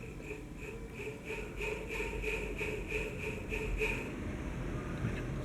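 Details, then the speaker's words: Pedestal fan before servicing, with a high dry squeak pulsing about three times a second over the motor hum. The front bushing lacked lubricant, and cleaning plus oiling the motor shaft and hub eliminated the noise. "I consider a deficiency here on the part of the manufacturer. Improve your process, because this noise is not acceptable, it is not acceptable."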